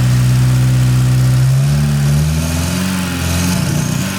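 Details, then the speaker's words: Porsche 924 Turbo, cold start after sitting overnight, following a fuel tank drain with new fuel: idle is much better but sags and hunts with a dead spot. Owner suspects residual old fuel in the line. "Still a little dead spot in it. Hear that? It might still be, I did drain the fuel tank and put new fuel in it."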